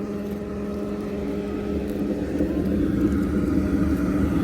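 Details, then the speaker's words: Replacement ECM blower motor on an older Trane gas pack, switched from counterclockwise, where it barely spun, to clockwise rotation: steady strong hum and airflow rush at full speed; normal run. "Soon as you put it over to clockwise, the motor's running great."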